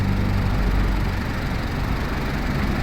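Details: Isuzu D-Max All New idling with A/C on after replacing the loudly squealing old compressor with a new piston-type compressor: steady even idle, no knock, rattle or whine; vent temperature about 6.5–7.4.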